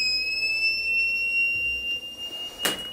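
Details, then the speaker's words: Power inverter at switch-on: steady high beep for over two seconds, then a clunk; output shorted, power-stage MOSFETs of the first phase likely burned. "ele automaticamente quando eu ligo ele apita e depois ele para o apito né é uma característica é um tipo né de defeito"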